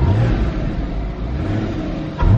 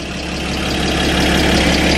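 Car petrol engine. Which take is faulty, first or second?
second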